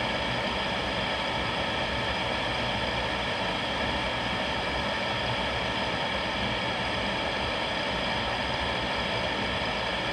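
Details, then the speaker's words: New replacement vent blower on GE power-vent water heater (old one had bearing noise ramping up after a minute), after ignition with flame on: steady even whoosh and low hum, no rattles or surging; normal. "after the first minute it's still sounding fine a few minutes later so that sounded good the whole time it was running"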